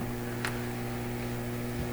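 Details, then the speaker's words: Clairtone console stereo receiver during alignment, antenna wires disconnected from signal generator: steady low hum with fixed tones and light hiss; stray signal still leaking into the radio. "wow so you know i disconnected the cable here there's the ends of it and there's still enough signal floating around in here to get into this radio"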